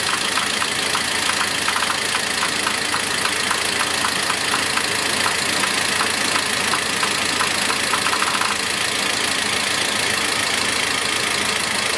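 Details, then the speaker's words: Toyota Land Cruiser Prado 120 with code P0014 idling while 12 V is applied directly to a VVT-i solenoid valve: fast light clicking over steady idle, valve rattles but no change in engine running before shutoff. "идут щелчки клапан грохочет срабатывания нет изменений в работе нету очень интересно"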